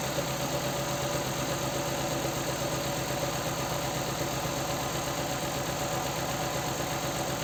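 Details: Nissan Sentra 1.8 idle with uneven, lumpy beat and a regular stumble about twice a second; one cylinder misfires, engine shakes, lacks power, exhaust puffs. Not coil or spark plug: injector 2 gets no negative activation pulses.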